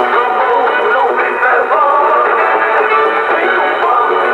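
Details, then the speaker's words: Yaesu FT-747 transceiver after the no-receive repair, on the AM band: clear AM broadcast music and voices with no hiss or dropouts; AM receive works, though SSB still cannot be tuned in. "the radio is receiving fine on AM, but when I go to a single sideband station, I am not able to tune anybody in."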